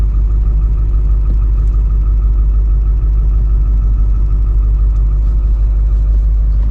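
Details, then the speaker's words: Ford 7.3L diesel pickup after gasoline was drained: steady, even diesel clatter at constant idle, no misses or knocks; sounds healthy. "just idling right now of course as we drive this thing around to the front sounds healthy"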